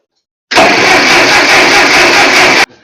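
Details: Ferguson TO-35 tractor with no-spark problem, replacement distributor fitted with 12 V coil and ballast resistor, cap and rotor off, in neutral: steady two-second crank with even churn and clean stop; cranks normally and shows good spark.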